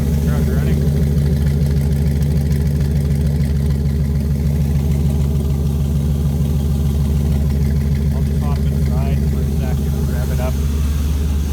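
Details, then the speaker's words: 2000 Chevrolet Silverado 1500 with 5.3L LS, first start after installing Hooker 8510 cast turbo manifolds, crossover and wastegate (boost line and charge piping not yet done): deep steady smooth idle rumble, no ticking or leak puffing; surprisingly quiet. "it's not even that loud I'm fairly surprised for a second here"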